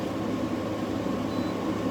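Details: Newly installed GE AWFS10WWL 10,000 BTU window air conditioner, cycling through cool, fan, eco and dry modes; a smooth, constant fan-and-compressor hum with no rattles, squeals or cycling hiccups. Running normally.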